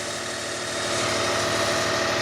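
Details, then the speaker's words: 2005 Kia Sedona 3.5L, 116,000 miles, after new timing belt, tensioners, idler, water pump and harmonic balancer, no accessory belts, right after cold startup: steady high idle with no ticks, knocks or squeals; normal cold idle before the noise appears. "No noise, just smooth as could be. Sounds awesome."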